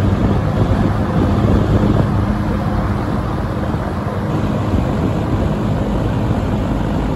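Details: Vintage 1970 or 1971 Windsor (Lakewood P-21) box fan with dirty windings and a blade balance issue, starting up on low speed: low steady whirring rumble builds and settles into an even run; normal running.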